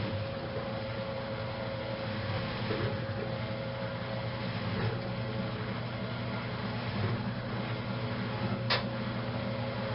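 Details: Restored 1956 Whirlpool Imperial belt-drive washer entering its final spin after the rinse and neutral drain: steady, even motor hum with no knocking or scraping; a smooth, healthy spin-up.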